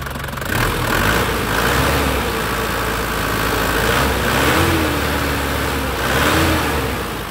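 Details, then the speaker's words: 2004 Panther LS (Black Panther) diesel, about 160,000 km, engine still hot after a start: even clatter swells smoothly through a couple of revs and settles back, no knocks or misses. A crisp, healthy engine. "Nah itu sudah kelihatan enak banget nih, suaranya masih sangat-sangat enak, renyah, khas Panther seperti ini lur ya."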